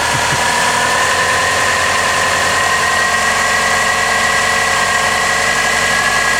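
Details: Subaru Impreza previously crank-no-start (no spark suspected), now repaired and running: smooth, even idle with steady hum, no misses, knocks or hunting; normal idle.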